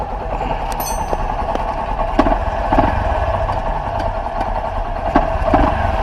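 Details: 2013/2014 Honda Fan 125 (modified, 160 parts) after replacing the worn cam timing chain that caused the metallic noise: even, steady single-cylinder idle with only light valve ticking and no chain rattle. Healthy.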